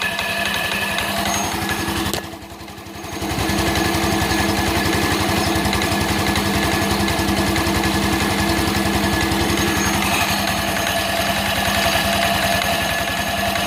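Steady scooter engine running with a fast, fairly even metallic tapping, roughly four per second, riding over it; points to a knocking variator.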